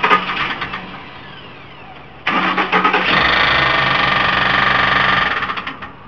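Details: Ford Expedition with almost 270,000 miles: a terrible noise started while driving. The engine cranks, catches and runs briefly with a rapid, hard knock. Suspected rod knock, not confirmed.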